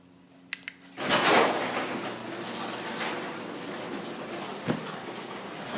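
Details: Old Craftsman 3/4 hp chain-drive garage door opener in a 1960s house, opening: a couple of clicks, then smooth even drone and light chain rumble with no grinding or binding; quiet, normal operation.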